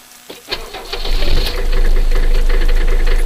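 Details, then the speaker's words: 1984 Mercedes 300D Turbo Diesel, over 329,000 miles, on a recharged weak battery after a frosty morning; brief cranking, catches within half a second and settles to a steady even clatter, starts right up, normal start. "And there she is. Over 329,000 miles, and starts right up."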